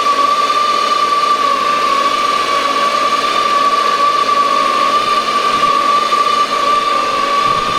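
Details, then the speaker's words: 2006 Yamaha SR210 boat, twin 110 hp four-stroke engines, freshly serviced with new spark plugs and oil change: steady smooth engine hum with a constant high whistle-like tone, no knocks or misses; healthy even idle. "$85 they sound like they're brand new. I put new spark plugs in them. I changed the oil."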